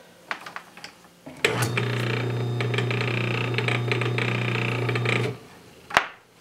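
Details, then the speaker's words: Induction motor test-run in a temporary setup before use as an induction generator: a steady, clean mains hum for about four seconds, then off, with no bearing noise. Normal running. "and it worked pretty good probably not a bad idea to put some little bit of just a little dab of motor oil on the bangs here you're going to be working pretty hard as a production generator here and it's running pretty good"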